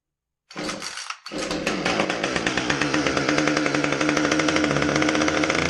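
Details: Husqvarna T435 top-handle chainsaw, previously a no-start, after ignition module replacement. It catches on the pull start and the small two-stroke settles into a steady, even buzz without stumbling. Normal running.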